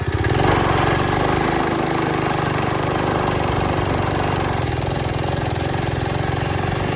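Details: Early-1970s Pacesetter Trailbuck mini bike on a test ride after fitting a new torque converter; small single-cylinder engine holds a busy drone that never builds into real pull. Torque converter slipping.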